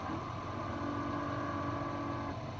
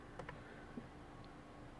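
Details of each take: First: 2017 Dodge Charger R/T, ignition on, mic inside glove box: faint steady whirring as the recirculation door moves, then stops; owner suspects the failing recirculation door actuator needs replacing; blend door actuator noise. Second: Car AC after replacing recirculation door actuator, switching recirculation and fresh air: steady blower hum with faint soft ticks, no noise from under dash; old actuator had been making noises.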